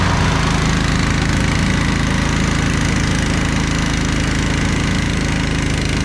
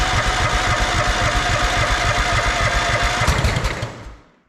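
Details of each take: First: Snapper Yard Cruiser zero-turn mower with 42-inch cut, revived after a mouse nest, mowing long grass: steady, even single-cylinder thrum holding speed under mowing load, no missing or knocking, no smoke, didn't get too hot; normal running under load. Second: Estate-sale Snapper zero-turn mower with mouse nest, battery just charged: labored cranking pulses that slow and die away with one pop, no start; owner suspects a failing battery.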